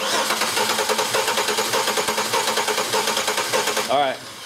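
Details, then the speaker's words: Six-cylinder engine cranked with ignition disabled and one spark plug out, one cylinder with no compression: limping, uneven cranking rhythm as one beat goes light, confirmed by a missing hump on the scope starter-current waveform. "you crank the engine over and you hear that sound that's that's no compression in one of the cylinders"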